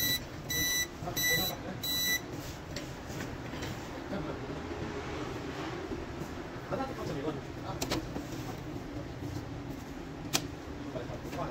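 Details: Epson LQ-690 dot-matrix printer turns on but sounds a quick run of high error beeps with all LEDs blinking. Cause: a faulty print head cable that must be replaced.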